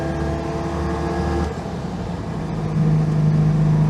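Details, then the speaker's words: Citroen 2CV replacement engine after passing its MOT, driving home: small twin revs up smoothly with an even beat, no popping or stumbling; pulls very cleanly, so the owner thinks it must be jetted very well. "this engine really is a proper Beach it pulls very cleanly so it must be jetted very well"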